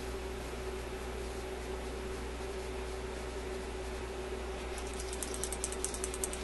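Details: Admiral suitcase record player changer, after cleaning sticky end-of-record trip parts: quiet whirr, then a quick run of small ticking clicks as teeth engage and turn the wheel; trip mechanism engaging normally.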